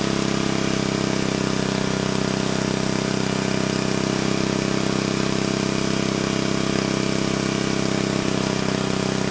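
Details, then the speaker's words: Old Troy-Bilt Horse I tiller, single-cylinder, after valve cleaning, a new plug and a replacement carburetor: fairly even idle that keeps throwing in the odd sharp pop. It still backfires but sounds better; the cause is unconfirmed. "It actually did sound better that time. It did still pop some though. It is sounding better."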